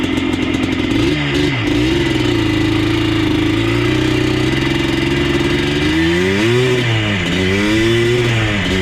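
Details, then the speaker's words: Yamaha Blaster 200 two-stroke ATV on fresh gas, no load: steady even buzz holding clean idle with a few throttle blips; idles well, though under load in second gear above mid throttle it cuts out, suspected fuel or air. "Idles like a champ."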